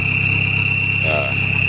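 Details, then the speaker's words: Isuzu Panther turbo diesel pickup after restoration, heard from the rear: steady piercing high turbo whistle over low diesel rumble; turbo spooling cleanly. "jadi kita lihat ke belakang untuk suara turbonya udah jangkrik"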